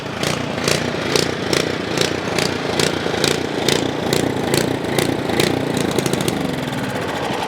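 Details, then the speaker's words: Ariens Path Pro 208cc single-stage 4-cycle snow blower at idle, speed rising and falling in regular waves about twice a second; surging idle, seller says it goes away under snow load. "He says the surging goes away when you hit snow, when you put a load on it, and I get it, but for me, it just doesn't sound right."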